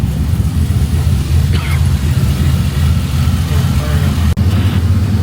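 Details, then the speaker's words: LS V8 swapped into a 1988 Ford Bronco, warming up toward thermostat opening, less rich than before, ECU pulling about 10° timing: deep, steady idle with even low thump, no knocks or misses; normal warm-up idle. "Not as rich as it was the other day. No. It's drawing like 10 degrees of timing out of it."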